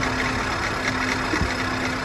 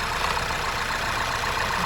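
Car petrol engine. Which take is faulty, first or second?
first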